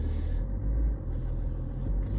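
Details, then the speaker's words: BMW X5 E53 3.0d diesel after replacing an old main fuel filter that caused rough idle: steady, even low rumble with no hunting or misfire; idle now smooth after repair. "idle's nice and perfect now sophie that'll stay like that now"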